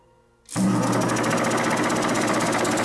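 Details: Old Delta bandsaw awaiting restoration, lever turned down, pulley not driven: switches on at half a second and settles into steady even hum with light regular patter; its pump working normally.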